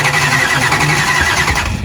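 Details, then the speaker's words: Tom Bailey's Camaro drag car cranking: lopsided limping beat with one cylinder weak each turn; one cylinder probably about half dead, low compression, risk of knocking a piston out on another pass. "so you have that little bit that's just showing you it's got one hole that's dead probably not it's probably about half dead because when they're really dead they go and you know something's really bad"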